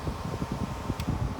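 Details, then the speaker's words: 1987 Danby 7500 BTU window air conditioner (Korea-made, R22, 8.2 A, slide-out chassis), coils cleaned and drain holes added. Fan running on high before the compressor is switched on: a steady airy whoosh with a soft low flutter and faint hum, no rattles. Normal fan operation. "Anyway, it's got high fan, low cool, etc. So let's just fire it up. That's high fan,"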